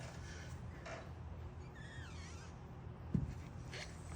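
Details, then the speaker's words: Jeep Gladiator with 2.5 Fox shocks: faint short squeak sliding down in pitch as the front suspension is pushed down, still present after a first lubrication attempt, over a low rumble. "And we have a little bit of squeaking. You can hear it. You can totally hear it."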